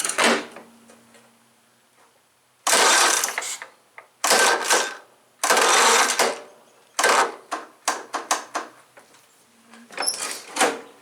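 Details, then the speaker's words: John Deere STX38, Kohler Command 13 hp engine, after work on the starter drive: several short whirring cranking bursts with pauses, engaging and spinning each time without grinding; starter drive working, though the battery is nearly junk. "I think that'll work as long long as my battery keeps running my battery is pretty much junk"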